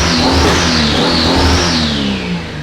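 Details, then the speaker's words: 2JZ-swapped Scion FR-S, turbocharged, first start after the swap: clean rising and falling revs with a smooth turbo whistle, no misses, knocks or smoke, so the redone valve seals are holding; the engine sounds healthy. "sounds great like everything sounds good there's no smoke right"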